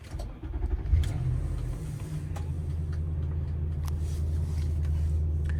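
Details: 2010 Nissan Armada Platinum AWD V8, 168,000 miles, key-fob twist start while still cold; starter whirr, brief flare, then steady, even low idle with stable rpm, no knocks, misses or dash warning lights. Normal cold start.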